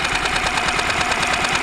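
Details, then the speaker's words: Used outboard jon boat motor, cold start on one pull after sitting all day; fast even two-stroke-style patter at idle, regular firing with no misses or knocking. Normal, healthy idle. "I haven't started it all day one pull on the cold start perfect perfect perfect sign for you"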